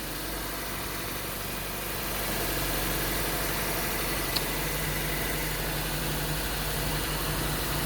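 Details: Toyota Corolla after ECU replacement for crank-no-start: engine settles into even, steady idle with smooth regular beat, no misses or knocks; runs clean.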